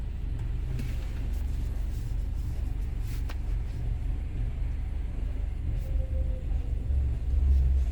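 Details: 2012 BMW 528i F10 xDrive, N20 engine, automatic, after its engine computer was replaced with a used one: steady idle with even firing pulses and no skips, and the earlier misfire is no longer present.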